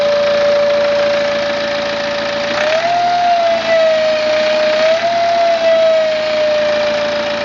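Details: 2009 BMW E90 320d diesel, 130,000 km, at idle: a loud, steady high whistle that lifts briefly and settles back; turbo failure is suspected but unconfirmed.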